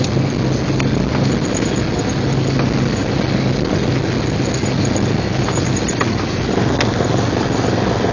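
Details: 1999 Jeep Cherokee XJ, 6.5in lift, Dana 30 front axle: steady low drone with faint rough grind underneath, front only in 4WD Hi and Lo, worst under load; persists after new U-joints, rebuilt differential and driveshaft; cause not found.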